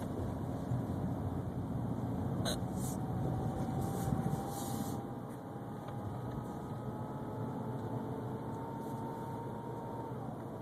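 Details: 2011 BMW 328xi: a thin, high whine climbs slowly in pitch over a low engine rumble, then drops away suddenly.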